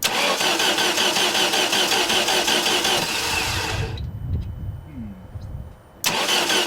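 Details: 1989 Dodge Caravan with 2.5 Chrysler engine: even cranking at about 160 beats a minute with no firing, a pause, then more cranking; it turns over but won't start.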